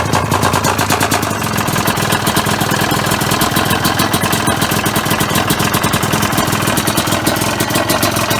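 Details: Honda CR250R two-stroke, first start-up after a top- and bottom-end rebuild: sharp, rapid, steady knocking through the whole idle, loud over the exhaust. Top-end knock; owner thinks the piston is knocking, not confirmed.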